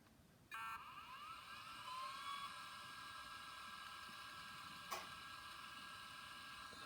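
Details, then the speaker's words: Compaq OEM Conner hard drive with missing screws, tested on power-up: a smooth whine climbs as the platters spin up, then holds steady with one soft click and no grinding; the drive sounds healthy. "sounds okay let me give you guys a lesson sounds really good"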